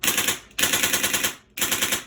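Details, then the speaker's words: LCT RPK airsoft gun with a new Polar Star Fusion engine on HPA, regulator at about 60 psi, no BBs loaded: crisp, even clacks in short bursts, set on the FCU to the authentic RPK rate of 10 shots a second; cycling properly. "So this right now is set to the authentic firing rate of an RPK, which is on the FCU."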